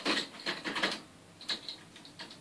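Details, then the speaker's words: Hard drive being wiped with Active KillDisk, eight drives at once. Sharp, irregular clicks repeat about every half second over a faint whir: the drive's heads are clicking and it is failing. "one of them is failing I can hear it clicking it's not a good sign"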